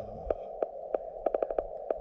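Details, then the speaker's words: LNR MTR4B QRP radio on 40 meters, 5 watts, counterpoise and choke, paddle mode: steady mid tone broken by sharp irregular pops, several a second at times; cause unknown, possibly rig-dependent. "there's the thing again sorry the pops"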